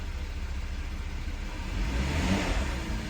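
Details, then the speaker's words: 2013 Volkswagen CC Lux 3.6 after engine rebuild, first run in a closed garage, light rev to about 1,500–2,000 rpm while checking for leaks: smooth low hum swells and settles, clean and even, no knocks or rattles; healthy engine. "I'm just going to rev it just about to 2,000. About 1,500 is good. Oh yeah, she sounds good. She sounds good."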